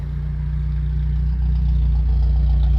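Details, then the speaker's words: 1970 Citroen DS, long-sitting, air box removed: low steady idle with even pulse, no misses or knocks; runs perfectly at idle, though it stumbles on quick throttle drops, a fuelling issue with carburettor rebuild planned. "I would say that's running perfectly."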